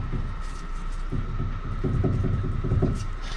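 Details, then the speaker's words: C4 Corvette during restoration, rear end rocked by hand: dull low clunks in bursts, about three a second; owner thinks the noise is a worn inner tie rod end, needing replacement. "that needs to be changed or that tie rod end i mean so it looks to be the inner which is making the noise"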